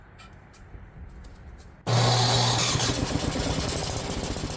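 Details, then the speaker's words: Ariens snowblower idling after its ethanol-fouled carburetor was cleaned: the idle lopes up and down instead of holding steady; fine carburetor adjustment can fix it, and it cleared up after a minute or two of running. "now I'm sure you can hear the idle is kind of loping a little bit up and down up and down up and down it's not really staying super steady"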